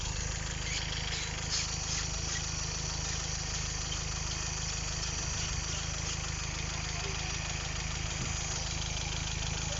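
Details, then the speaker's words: Petrol GM engine with suspected non-standard cam, overfuelling, running very hot, petrol suspected in oil; idles roughly with lumpy, uneven beat and stumbles when the cooling fan kicks in, idling normally once the fan switches off; timing checked correct. "As die fan aanslaat en idle die ding weer funny."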